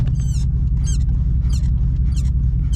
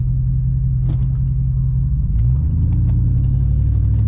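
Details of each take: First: GMC Sierra Denali at idle: high chirpy squeak about every half second from the brake pedal area; has always squeaked, persists after lubricating the springs and shaft; brake pedal squeak, cause unclear. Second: 2011 GMC Sierra Denali after NorCal fender mod and raised coilovers with adjusted compression and rebound, driving: even low road rumble with no scraping or rhythmic tire rubbing against fenders.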